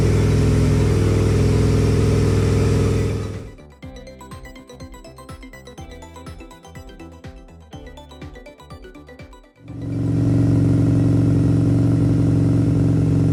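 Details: 2002 Aprilia RSV V-twin first start after service with fresh oil and filter: deep even throb at steady idle, no rattles or misfires; engine sounds healthy.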